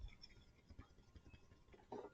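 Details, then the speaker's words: Old A/C receiver-drier removed from a 1991 Miata during an R12 to R134a retrofit, shaken by hand. Faint irregular ticking and rattling of loose desiccant moving inside, while the new drier is silent; it was due for replacement. "can hear that moving there so yep it was time to replace it"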